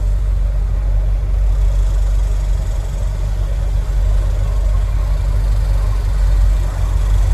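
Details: Dead-stock 1996 Corvette LT4 six-speed (23K or 135K miles), heat-soaked in 100°F Texas heat, idling parked warm around 217–219°F, fans cycling by relay: smooth even low rumble, no knocks or ticks, cicadas in background; normal warm idle.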